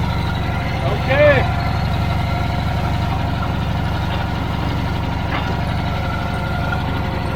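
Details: Old Caterpillar D6 dozer diesel at about half throttle, deep even rumble with steady firing beat, no misses or knocks; normal running.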